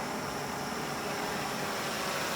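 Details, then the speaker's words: Victor-style oxy-acetylene cutting torch with oxygen slowly added past the carburizing feather to a neutral flame, giving a steady, loud, even hiss with no popping or sputter; this is the correct setting. "And you start to hear that loud hiss. That is a neutral flame. That's what we want."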